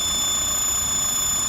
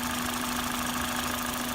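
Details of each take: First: XRS at idle, before repair: steady, piercing high-pitched whistle over faint engine idle from a vacuum leak where the head meets the intake runner, likely a gasket leak. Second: XRS petrol engine after fixing a vacuum leak where the head meets the intake runner, likely the gasket: steady, even idle with a low hum and no high-pitched scream; normal idle.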